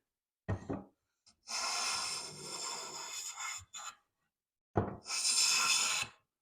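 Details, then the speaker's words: Old Stanley hand plane set with medium-to-heavy open mouth, cutting fine shavings against the grain; two smooth even hissing strokes, clean consistent cut with no chatter, leaving a smooth finish. "so that's working fine that way it's working fine this way leaving a smooth finish"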